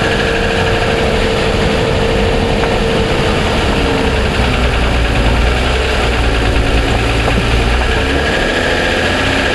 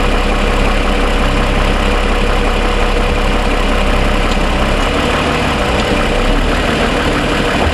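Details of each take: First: 2007 Toyota Sienna petrol V6 under powertrain warranty, cold start at idle: fast, light ticking over a steady engine hum; dealer heard it and suspects piston slap, which it calls normal, and declined repair. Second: 2007 Toyota Sienna, fully warm after about 45 minutes of driving, idling: deep steady hum with only a faint light tick, much quieter than the cold-start ticking suspected as piston slap.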